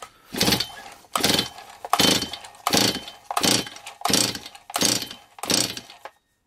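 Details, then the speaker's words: Stihl 026 chainsaw after rebuild, previously non-running with low compression, compression test while pulling over: eight strong, even pull-over strokes about one per second, firm whooshing chuffs with solid resistance; compression now about 130 psi versus 80 psi before, healthy. "I don't know if you remember it had about 80. 80 psi to start with now it's got about 130"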